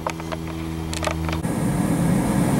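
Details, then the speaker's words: Natural gas furnace with jets and hot surface ignition, newly converted from oil heat: a few ignition clicks and soft hum, then an even rushing burn with faint high hiss, quieter than conversation; normal operation. "got the furnace running here you see it doesn't use burners it actually uses Jets and there's no pilot just uses a hot surface ignition and it's quite quiet it's uh about it's quieter than conversation"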